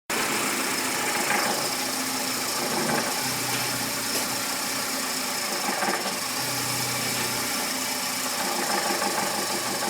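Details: VW Gol G5 bought new in 2010, engine noise since purchase that has worsened: steady idle with faint irregular ticks over hissy background; cause not identified.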